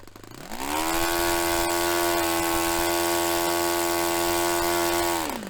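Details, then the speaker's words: Restored Saito FA-45 Special glow four-stroke on test stand, 10% nitro fuel, warmed up, full throttle: climbs quickly to a high, steady, clean scream, peaking about 10,260–10,300 rpm (manual spec ~10,300); normal, nicely tuned full-throttle run. "So that was actually a good little run. We got the peak at about 10,260, 10,300."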